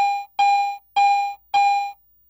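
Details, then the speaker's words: Garrett AT Pro metal detector in standard mode: four clean, evenly spaced beeps at one steady pitch, the high tone reporting a target by metal type and conductivity. "a Target based on its metal type and its conductivity is simply reported by one of three different tones a low tone midtone or a high"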